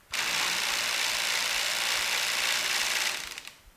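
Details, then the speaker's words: Genie screw drive garage door opener: harsh, loud grinding for about three seconds then a rattle as it stops; worn teeth inside the carriage are not gripping the screw, fixed by replacing the carriage assembly. "Alright guys, what that noise is, this is called the carriage right here. This is the part that affixes itself to the screw on the screw drive. So basically what happens is the teeth that are inside there are worn out and they are not grabbing onto the"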